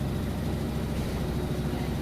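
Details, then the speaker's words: Whirlpool Cabrio top-load washer, final spin at top speed with a heavy full load: steady, even low rumble with no knocking, scraping or thumping; spins fast and sounds healthy. "it sounds great spins really fast those clothes come out pretty close to dry as far as being lightweight and going to the dryer"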